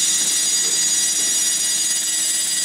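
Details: Faulty HP MAP3367NC 36.4GB SCSI hard drive: a steady, piercing high whine with no seek clicks; spindle spinning noisily. Owner suspects the controller board and motor bearings; cause not confirmed.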